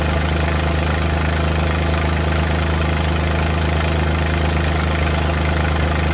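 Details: Suzuki Multicab F6A engine at light throttle, heavy low drone with uneven, irregular stumbles in the beat: random misfire.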